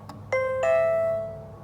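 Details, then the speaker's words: Old Nutone Series 3003 chime wired to a Simplisafe Video Doorbell through a separate new transformer. A clear two-note ding-dong rings out cleanly with a steady tone: the chime is working. "You can hear that my Nutone 3003 series is connected to my Simplisafe Video Doorbell."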